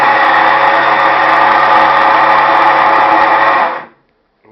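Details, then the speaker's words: Electrolux LT15F 15 kg washing machine in spin cycle: deafening harsh whirring roar with grinding edge pulsing about four times a second; worn gearbox (câmbio) on the lower shaft needs replacing. "para mostrar um barulho que está apresentando essa gravadora da electrolux só um barulho ensurdecedor"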